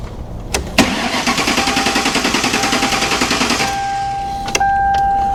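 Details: 1957 Ford Ranch Wagon body on a Mercury chassis after the swap: starter spins the engine evenly at about three and a half pulses a second for three seconds but it never catches. Owner suspected a missing ground; fuel was cut by a tripped inertia switch.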